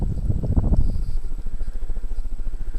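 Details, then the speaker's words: 42-inch SMC ceiling fan on high speed, roughly 190 RPM, large motor, slightly bent blades causing wobble: low rough rumble throbbing with each turn; worn motor bearings very noisy. "one problem this fan has that's um really bugging me that the bearings are very noisy and that's not the camera shaking by the way that's the fan yeah you can hear the bearings are um quite loud but that's not uncommon for SMC brand fans"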